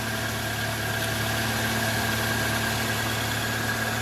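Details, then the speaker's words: 2011 Toyota Vellfire ANH20 2AZ-FE engine after balance shaft replacement: smooth, even idle with steady low hum, no roughness or knocking; sounds quieter than before the repair, normal idle. "Oke Bang starterah ini suaranya beda kan ini kalau suara balancer normal seperti"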